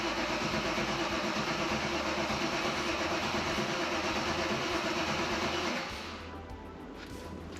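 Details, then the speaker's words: V8-swapped Mazda MX-5 (Bullet Roadster), first start in over a year: steady even cranking about three turns a second for nearly six seconds, never catching; crank no start, ECU connected but not grounded. "Okay. Now, I don't know why it's not working. I'm going to have a look. It must It must be something something that I disconnected that I've forgotten. Oh, I think I don't think I connected the ECU. All right. Okay. Okay. ECU was connected, but it wasn't grounded."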